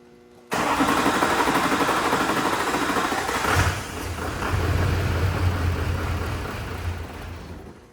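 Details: Duramax LLY diesel truck after eBay injector swap and repeated hand-priming of the fuel; long cranking finally catches and fires, then a rough, uneven idle that dips and recovers; hard starting, apparently air in the fuel.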